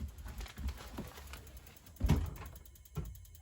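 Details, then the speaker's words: RV propane (LP) water heater igniter during de-winterizing: sharp clicks every second or so over a low rumble as it tries to light, then burner heard burning; heater working normally. "You hear it clicking? When it's doing that clicking, it's trying to light. Alright, I can hear it burning."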